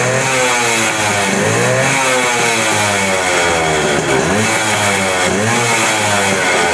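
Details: Suzuki Max 100, 98.2cc air-cooled single-cylinder two-stroke, carburettor, after carburettor cleaning for missing and pickup problems: crisp buzz revving up and dropping back cleanly several times, smooth pickup, no missing or hesitation; normal running.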